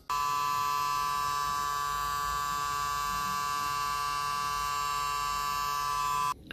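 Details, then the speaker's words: Arcade1Up OutRun cabinet: a loud, steady electric buzz from the small PCB cooling fan, holding one raspy pitch until it cuts off. The fan is the suspected source. "all right guys so you heard that you could hear that buzzing really loud"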